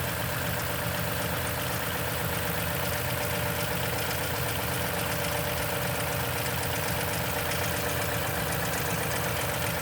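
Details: 2010 Toyota Tundra, 165k miles, 5,500-mile oil changes: loud, busy cold idle with a fast, steady clatter at about four beats a second; suspected timing chain noise, unconfirmed.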